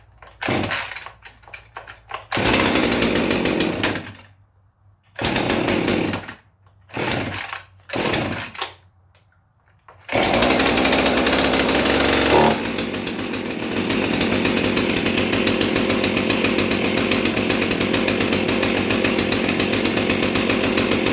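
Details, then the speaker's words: Cold start of a Husqvarna 450 Rancher chainsaw with 20-inch Oregon chain, chain being worn in; fires in short bursts then settles into a rough, burbling idle, running extremely rich. "that is definitely running extremely rich but uh yeah foreign catch you on the next one guys"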